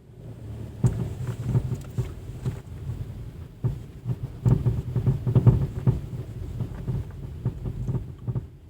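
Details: Chrysler 200 driving with sharp irregular clunks from the rear right suspension over road rumble; owner suspected and found a loosened nut on the shock absorber rod of the new strut, then tightened it.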